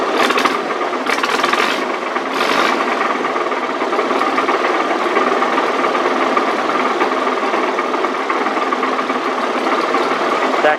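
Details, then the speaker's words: Massey Harris model 30 tractor idling with a rough, uneven rattling rumble over the engine beat. The rumble is a clutch throw-out bearing, noisy since an engine rebuild about 15 years ago and steadily getting worse, expected to fail. "rumbling you're hearing is a throw out bearing. Um, I did a total engine rebuild on this thing."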